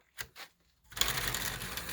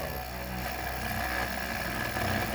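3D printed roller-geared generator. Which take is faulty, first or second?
first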